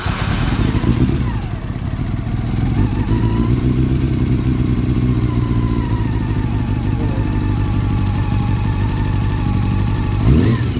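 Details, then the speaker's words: Honda CB400, long neglected with a rusted head and valves, at idle: a light, even tick from the top of the engine that follows engine speed. Owner first suspected the tensioner or chain guide; valve clearances were found enlarged. "Ang problema ko nga ngayon tum tumutunog tumutunog sa ibabaw. ko pa sure kung tensioner, chain guide kasi yung lagitik niya isa-isa eh."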